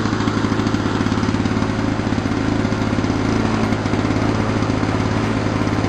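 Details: 1987 Lawn Boy mower, model 4262, two-stroke, repaired for low rpm and stalling with a cleaned carburetor, new governor spring and fixed fuel bowl: crisp, steady buzz holding an even speed without surging or dying.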